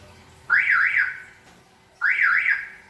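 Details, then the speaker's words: Toyota Innova Reborn alarm when locked with the bonnet closed but not latched: two long warbling siren chirps about 1.5 s apart instead of the normal lock chirp, meaning the bonnet is still open. "Hah dia berbunyi ngebid panjang tapi dua kali begini Itu artinya kap mesin masih terbuka deh"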